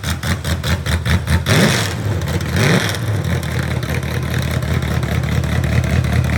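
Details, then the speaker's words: Real 1970 Corvette LT1 V8, rebuilt: deep, even burble at idle, then a clean, quick rev that climbs and settles without misses or knocks; healthy, strong running engine. "What you think? Still good motor. Sounds good."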